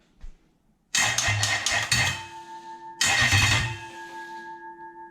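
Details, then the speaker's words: Toyota 1UZ-FE VVTi V8 test engine on a test loom with a 2UZ ECU: starter cranks in two short bursts with no firing and no check-engine light; crank-no-start, traced to a dropped power feed terminal. "so the engine itself turns over"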